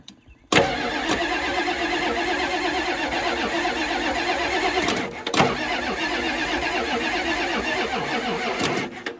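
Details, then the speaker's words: 1989 Ford F250 7.3 IDI diesel, hard cold start the next day in neutral, first tried without ether, after fitting used injectors from a '91 parts truck and new return lines: short crank, abrupt clattery catch and stumble before settling; still needed ether. "Well, that's weird. All right, well, she still needed a snort, but I probably have to leave them injectors again."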